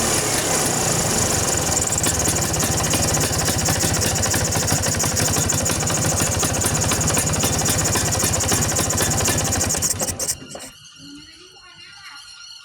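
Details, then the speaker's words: Vespa two-stroke engine after tightening loose carburetor nuts that had caused a strange noise; busy, even putter holds steady for ten seconds before shutdown, no rattle or hiccup. Normal idle after repair. "Jadi suara yang dihasilkan tadi disebabkan mur karburatornya longgar, teman-teman."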